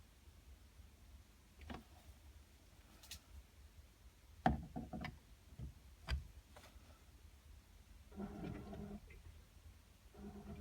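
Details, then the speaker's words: Glow Worm Flexicom combi boiler, F9 fault, display at 1.0 bar: four faint diverter valve motor whirs about 1.5 s apart, then click and pump humming; pump works but pressure not sensed, so F9 remains, sticking pressure sensor suspected. "you hear four motor noises this is the diverter valve moving you hear four Mo motor noises and then the pump tries to kick in"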